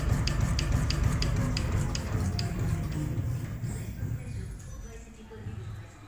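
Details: Mercedes-Benz S-Coupé C217 4Matic Bilstein DampTronic Sky adaptive shock absorber on a dynamometric test bench before repair: knocks about three times a second under heavy low rumble; its force-displacement diagram is badly asymmetric.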